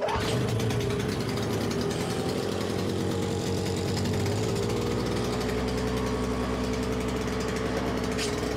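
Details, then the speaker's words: Simplicity 520 single-stage snowblower after electric starter and recoil repair: steady single-cylinder drone whose pitch holds while the engaged auger drags on the floor and after release; governor keeps full speed, engine healthy. "so there you can hear that when the augur is engaged and dragging on the floor the the speed of it doesn't change it it keeps going fast and when I let go the engine's still running at full speed"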